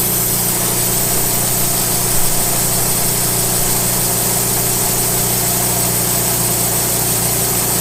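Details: Late-1990s Wood-Mizer LT15 sawmill engine, long-stored, after maintenance, still running despite its age: even steady drone with constant firing hum, no knocks or surging: normal running.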